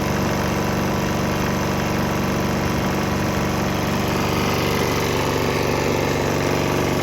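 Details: Swan X 165F Chinese single-cylinder diesel on 50-50 used motor oil/diesel mix: steady even chug with constant rattle, no misfires, settled speed after earlier bucking and stumbling cleared; normal running.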